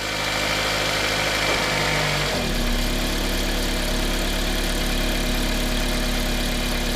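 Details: 2007 Toyota Matrix (Pontiac Vibe twin) with an idle vibration, mostly in reverse, some in drive; watched from under the car on ramps while shifted between reverse and drive. Steady idle turns into a deeper, heavier drone and shake in gear. The lower two engine mounts are visibly bad.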